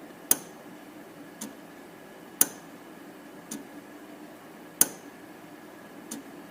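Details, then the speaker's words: 2011 Mazda 3, about 137,000 km, check engine light with code P0442 evap leak: solenoid commanded on and off from a scan tool, heard from underneath the vehicle. Sharp single clicks every second or two show the evap canister vent solenoid is actuating, not stuck. "well I'm gonna command the solenoid on and off again and and listen for it underneath here so now I'm standing underneath the vehicle commanding it on"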